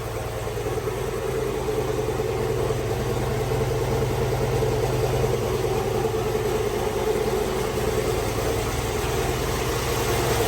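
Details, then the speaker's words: Turbo Chevrolet Suburban (GMT800) V8 at first start after build, tune still unfinished: steady, fairly quiet idle with an even low rumble, no knocks or ticks; oil pressure present and turbo spinning. "she's running turbo is spinning she's pretty quiet"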